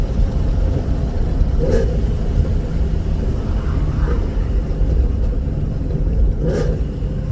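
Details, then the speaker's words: 2019 Vortech V3 supercharged Mustang (about 10 psi) with stock cat-back and resonator delete, at about 90 mph; deep, steady exhaust drone with no rattle, exhaust sounds clean and healthy. "it might sound raspy on video but when it comes to real life it actually sounds pretty damn good it's stock cat-back with a suitcase delete"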